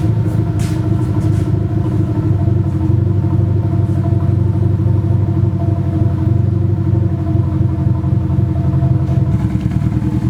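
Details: Nissan SR20 in a 240 on first start after engine install, open downpipe: loud rumble with an uneven, choppy beat instead of a smooth idle; engine misfire on one or more cylinders, cause unconfirmed, owner suspects bad original gas.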